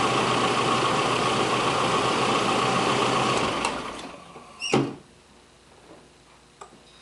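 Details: Nissan KA24E (1989–1997) after timing chain startup-rattle repair, chain slack checked and reassembled: smooth even idle with no chain rattle or slap, then engine switched off; timing chain running quiet.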